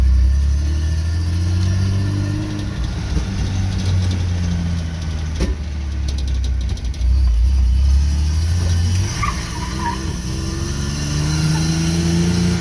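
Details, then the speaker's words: Toyota Hilux ute just bought and driven home after the gearbox was sorted out: low engine drone rising and sagging unevenly, a loping lump about three times per second instead of a smooth idle; lumpy, rough idle, and the truck needs a lot of tidy-up. "that lumpy Idol though [Music] I guess a little it works it runs it drives it's just a very rough and needs a lot of tidy up"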